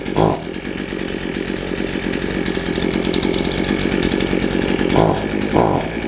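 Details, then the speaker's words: Shindaiwa AH242 hedge trimmer two-stroke, brought in for only accelerating when choked, started on choke and warming up: buzzes at a steady, even speed with quick throttle blips, picking up cleanly; normal running. "put it on choke give it a minute to warm up starting on the first pole is a good sign"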